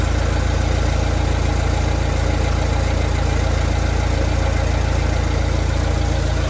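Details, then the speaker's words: Vauxhall Vivaro B 1.6 CDTi diesel idling after a fuel filter change, primed on the lift pump alone. Steady, even diesel clatter with a smooth rhythm, no stumbles or misses; idles normally and is fully primed. "which sometimes if you look it'll just keep it running enough to get the air through the filter without it cutting out but this seems to have managed to Prime itself just on the lift pump"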